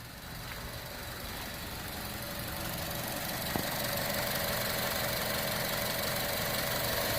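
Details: 2015 Chevrolet Cruze turbo, automatic, after the turbo coolant return line repair, fully warmed up but thermostat not yet open: quiet, even idle with a soft steady hiss and no knocks or misses; normal idle.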